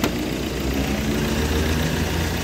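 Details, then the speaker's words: 2018 Ford Everest stalling problem fixed by sliding an adjustable bracket fully inward; has run a while without stalling: steady, even idle, low rumble holding without dips or stumbling; normal idle. "Kanina pa to, hindi na namatay. So goods yan, adjust lang"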